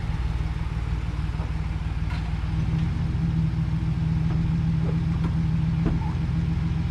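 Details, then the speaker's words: 2011 GMC Sierra 1500 V8 just started after battery hookup, slight squeaky belt noted: even, low, steady rumble, nice and quiet, no knocks, ticks or misses; normal idle. "what do you think looks nice sounds all right huh nice and quiet let this thing run for a minute"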